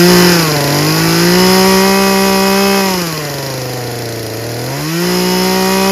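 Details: Craftsman 16-inch 38cc two-stroke chainsaw screaming at full throttle, steady high pitch easing off and returning cleanly with no bogging; low and high fuel-air mixture judged perfect, saw runs really well.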